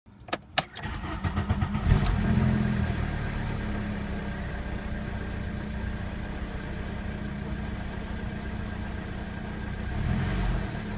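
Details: ABA 2.0 engine, first startup after new oil pump and PCV system replacement: cranks, catches and settles into idle with a light, quick top-end ticking, possibly lifters.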